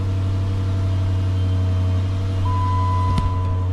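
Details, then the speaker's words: 2009 Dodge Charger RT 5.7L Hemi, 185,000 miles, after first tune-up (spark plugs, coil packs with dielectric grease, valve cover gaskets, PCV valve): steady even V8 idle, smooth low drone, no skipping, ticking or knocking. Normal idle. "Sounds good. It's not skipping, not busting up, not knocking, clacking, cranking."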